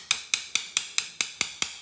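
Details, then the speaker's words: Tap test on a shower drain bedded in thinset the day before, with no membrane. Sharp, crisp taps with a bright, dead-solid ring and no hollow rattle, in contrast to a loose-sounding spot tapped earlier. The drain is well bedded. "Hear how that sounds solid. Now this is my dad's complaint, that these drains, he can't get them solid. That's solid."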